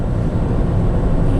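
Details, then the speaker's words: Ford Fusion 1.6 Zetec petrol automatic with BRC LPG conversion and low miles, driving on a warm day: a low, even engine and road rumble, no undue noises or gearbox clonks; the faint rattle is only loose driver's floor-mat clips. "That rattling you can hear is just a couple of clips for the driver's floor mat that just needs plugging back in. So no undue noises, it's very smooth, and"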